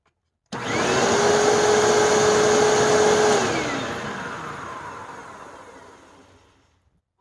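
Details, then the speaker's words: Hoover Tempo Widepath Plus upright vacuum, about eight years old, after a belt change: motor spins up to a clean, steady high whine with no rattle or belt slap and winds down smoothly; normal running. "how nice that runs even after eight years so let's hear it for cheap Chinese Hoover's"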